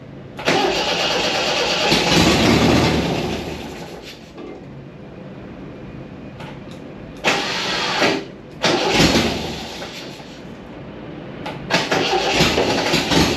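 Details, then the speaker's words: MGB sat for 15 years, run on a gravity-fed fuel tank: cranks, catches quickly and settles into an even idle at about two beats a second with short throttle blips; normal start and idle. "We took the carburetors off, we got my gravity-fed fuel tank, and we heard it fire up, no problems."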